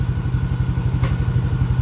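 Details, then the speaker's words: Small single-cylinder motorcycle just after same-day engine overhaul (head and block fitted, carburetor serviced, coolant added, timing set), TS Racing 28mm exhaust; quick even putter at idle with no misses or rattles, sounding healthy. "dan cantik lah. Bunyi dia pun sedap."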